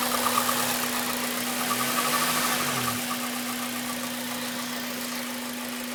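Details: Honda Civic Type R, warm idle, rattle only after about 10 minutes warm, present for about 7k miles despite oil change and valve clearance: fast metallic rattle over steady hum; owner suspects timing chain, tensioner or guides, booked for replacement.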